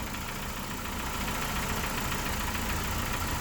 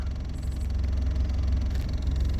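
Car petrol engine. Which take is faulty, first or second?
first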